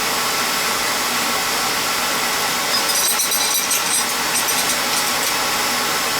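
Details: Beckett oil burner reported starting rough about 5 months after service, old ignition transformer from around 2000, now lighting and running with a steady even flame roar, no puffing or rumble; starting nicely, spark still good.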